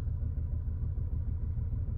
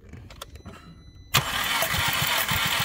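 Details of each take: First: 2010 VW Passat at idle, flashing check engine light: deep uneven lumpy idle with dropouts; cylinder 3 misfiring, cylinder 1 too after swapping coil packs 2 and 3; multiple misfires, compression and plugs next. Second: 2010 VW Passat with misfire, compression test cranking on jump pack, last cylinder: brief quiet clicks, then steady cranking with even pulses about three per second, no misses; all cylinders within spec; normal cranking.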